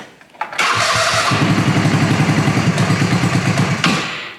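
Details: Fox Carbide 150 go-kart with GY6 engine: starter churns about four beats a second for three seconds without catching; crank no start traced to a faulty ignition key switch, which also cut the speedometer whenever the key was turned.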